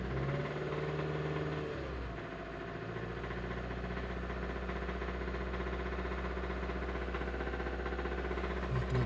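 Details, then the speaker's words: Hyundai i30 1.4 petrol with a dull, steady knock about four per second, heard at idle and with revs raised to about 2000, plus heavy oil consumption of about a liter a week. Mechanic is unsure whether the cause is bearings, pistons or valves. "вот такой стук здесь и + масло берёт очень сильно"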